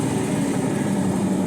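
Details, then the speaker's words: Hoover Link 9 kg condenser tumble dryer: the motor hums and buzzes but the drum won't turn until shoved by hand, then it runs. Faulty motor start capacitor. "so what's happening is we turn it on so it's turned on lights flashing nothing happening in the drum at all so the way to test the motor capacitor is I can hear it buzzing so it's trying to do something"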